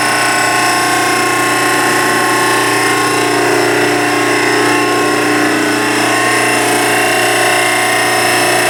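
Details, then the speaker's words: Old 3 hp repulsion induction motor, 220 V single phase drawing 17 amps, driving a log-splitter-converted hydraulic forging press pump: loud steady high-pitched whine with even hum, no knocks or surges; normal motor whine, quieter than previous motor. "It's a repulsion induction motor, so it's not a real quiet motor. It's got a high-pitched whine to it, but it's a lot better than what I had on there before."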